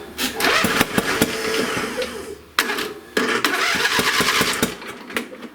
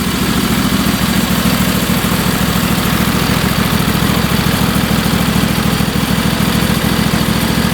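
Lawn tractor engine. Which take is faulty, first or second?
first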